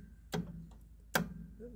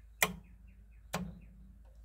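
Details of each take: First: Club Car golf cart solenoid tested with voltmeter from terminal to battery while pressing pedal: two sharp clicks, no motor following and no or irregular voltage; faulty solenoid with scored contacts, needs replacing. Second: 1985 Club Car golf cart, newly fitted speed-control solenoid replacing a scored one, wired to a voltmeter: crisp identical clicks about once a second with consistent voltage on every click. The solenoid is switching cleanly.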